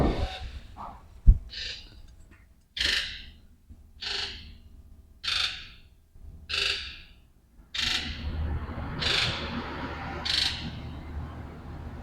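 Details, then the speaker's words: 1999 Ford F-250 with a 2001 7.3L Powerstroke that won't pull when cold, codes P1280, IDM and injector circuit codes: key-on engine-off injector buzz test gives eight sharp, even buzzes, all injectors responding. "Key on, engine off, injector electrical code. So let's check that. So what it'll do is do a buzz test, as you can hear."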